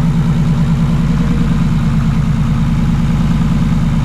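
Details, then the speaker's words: Nissan Skyline R33 with big turbo and fresh build, running after an ECU fault was diagnosed. Fully warmed up, it holds a steady, even idle with a deep low burble and no knocks or misses. Normal idle. "it warm up a little bit and then we'll give it some revs just a little bit so now we're at idle all warmed up"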